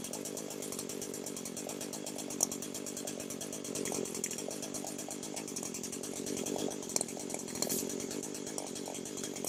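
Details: Echo SRM 225 two-stroke string trimmer with a hard-start complaint, during a no-tools leak test for crank seals and exhaust gaskets: buzzy run at steady high revs with no appreciable RPM drop, so no air leak found; normal running.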